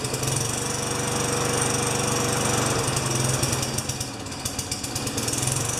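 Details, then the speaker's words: Yard Machine mower with Tecumseh 4 HP engine, owner reports it won't keep running, primed, dirty air filter removed: sputters about four beats a second, turns ragged, then dies; carburetor cleaning planned. "this one does the typical just sputter and try and start but it doesn't start so that's what then that's what the owner told me"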